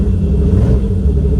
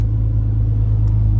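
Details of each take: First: Turbo E46 BMW ZHP, true cold start after two days of rain, cowl filter tray missing: deep lumpy cold idle with uneven stumble; cylinder missing from water in ignition, ice found under cowl; later runs well. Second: Warm BMW ZHP turbo build idling settled at target 147 just after connecting RomRaider: steady low hum, even idle, no knocks or misses; normal warm idle.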